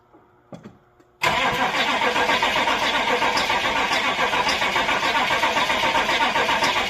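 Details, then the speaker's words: Old Chevy C20 crew cab, indirect-injection 89 hp diesel, hard starting: quiet clicking and short weak crank, then catches into clattery idle; cranking power tapered off, battery being charged, ether planned. "okay we're going to let this sit for a bit and build up some juice cuz uh it's still kind of tapered off the end there"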